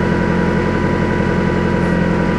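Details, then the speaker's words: Car with a suspected blown head gasket, warm after a 15-minute run with liquid head gasket sealer: steady low idle with a faintly uneven, lumpy pulse. A block tester turns yellow, confirming a blown head gasket; the sealer did not work. "Right off the bat, I'm not too impressed with the way the engine sounds right now, but let's go ahead."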